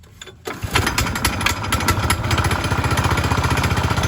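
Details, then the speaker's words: Manco Fox Conquest go-kart, 126 cc single-cylinder with torque converter, bought non-running and given carb work and a clean plug: brief crank, then a quick, even putter with no knocks or misses; runs fantastic. "you know with the torque converter it runs fantastic"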